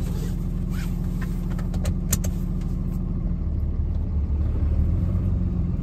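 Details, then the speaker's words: Truck, G56 gearbox with Valair HD organic single-disk clutch, crawling at idle rpm in low gear: deep rumbling rattle; gear rollover noise. "ward in third gear hear that it almost has like a marbly rock in transmission sort of sort of like a grind but not really and then if I apply throttle you just get a little bit of a whoosing of that marbles in transmission sound as you accelerate then once you hit about 1300 RPMs it goes away"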